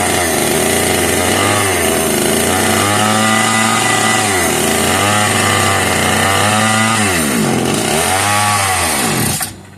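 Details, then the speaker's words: Italian-made Castor 330 Antivib chainsaw (rebranded Alpina), free find, run on the bench with bar and chain removed: revs high and drops in uneven surges, then cuts out; won't run on its own fuel supply, fuel delivery issue suspected. "Okay, I think it's safe to say that this thing is not going to run on its own fuel supply."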